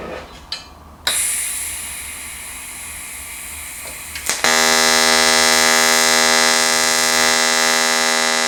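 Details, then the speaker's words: Fronius TransSteel 2200 in TIG mode with pulse frequency raised to 80: the arc strikes and settles into a steady high-pitched buzz from the fast pulsing, sounding clearly different and normal. "so as you can hear it's definitely running a lot different and that's because of the pulses"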